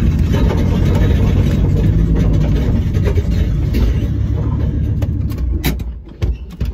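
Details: End-of-life Volvo V70 T5 turbo with a bad engine, catalytic converter removed: it catches and runs with a loud, deep, gruff exhaust rumble that eases off near the end, the raw sound of no cat.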